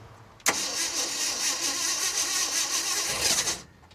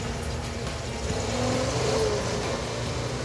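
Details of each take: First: 1967 Ford F250 4x4 pickup: starter spins the engine evenly for about three seconds without catching, then drops out; cranks but no start. Coil gets about 6 volts with ignition on and 10.6 volts running, so low power to the coil is suspected, not confirmed. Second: 1967 Ford F250 4x4 V8 after rotor and cap and distributor fixes, fuel delivery ruled out: even, steady beat at constant speed with no misses, best it has ever run, though still not right and carburetor suspected next.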